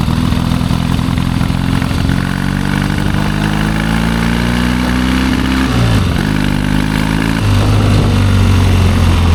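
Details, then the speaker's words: 1972 Triumph Bonneville 650 twin, long unridden, ride test: revs unevenly and sags instead of pulling, falls on its face near 4,000 rpm; running far too rich. "Could be better. Really rich, isn't it? Runs terrible. Yes, it does."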